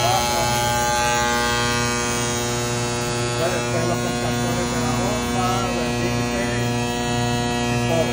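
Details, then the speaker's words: Trane 500-ton centrifugal chiller contactor: loud constant mains-pitch buzz over plant noise that persists; faulty magnet, contactor to be ordered and replaced. "solando tiene problema con con el Magneto así que tenemos que ordenar este contractor para cambiárselo"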